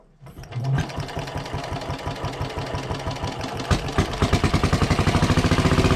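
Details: WWII Chore Horse 300-watt battery charging set, model CH1 395-5, original 1940-41 paint, cleaned not refinished: even single-cylinder thumping about four beats a second, steady and unlabored; runs smoothly and works great.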